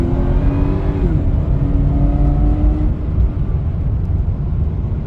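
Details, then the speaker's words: Ford BA Fairmont supercharged V8 on a country road: thin blower whine rising over the engine roar at full throttle, then fading when cruising; normal supercharger whine, an unexplained wind whistle also noted. "So, I'm sure you guys can hear the supercharger now. See, when you're cruising, nothing when you floor it."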